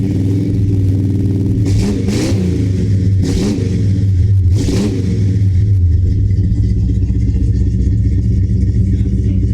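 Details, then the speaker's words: 1970 Dodge Charger, big-block 383 V8, just fitted with Flowmaster American Thunder exhaust (Super 40 mufflers, H-pipe): deep, loud burble with three sharp throttle blips rising and falling cleanly; considerably louder, a true big-block Mopar sound. "The car is considerably louder now. It sounds like a true big block Mopar now."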